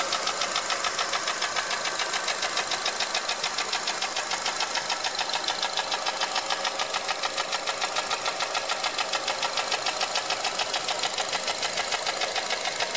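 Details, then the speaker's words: 2004 Honda Element EX AWD, 2.4 L i-VTEC, 167,000 miles, no check-engine light; sharp, even tick about 3.5 per second at idle, unchanged with serpentine belt off, after dealer valve adjustment; owner found piston slap in cylinder one. "This Is A 2004 Honda Element with a 2.4 l IV Tech engine and it SS like the valves clicking or something like that"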